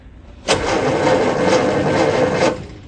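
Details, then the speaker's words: Austin Healey Sprite engine, seized and soaked in oil over six months, tapped then cranked via the starter solenoid; steady whir for about two seconds with no binding; engine turns freely, cylinder walls look fine. "looks like it's freed up and the cylinder walls actually look just fine"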